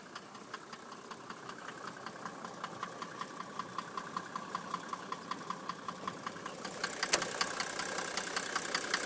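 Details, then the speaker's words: 1991 Mercedes 350 SDL fitted with a 1986 300 SDL diesel engine (120,000 miles on the engine, 240,000 on the car), in park idling around 600–650 rpm: a sharp, even knock about 2.5 times a second that fades when revved; owner unsure if normal. "in park idling at about 600 maybe almost 650 curious if the knock I'm hearing is normal"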